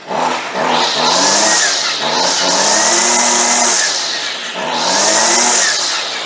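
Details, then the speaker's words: Stihl 55R/55RC weed eater, unused for a long time, just cold-started on choke: revs rise and fall in a buzzy scream, hesitant off idle. Runs fairly well but wants more fuel on the low side; low screw, next to the motor, to be adjusted. "Fuaimeann sí fuaimeanna maith go leor mar go bhféadfadh sí beagán níos mó breosla a úsáid ar an taobh íseal."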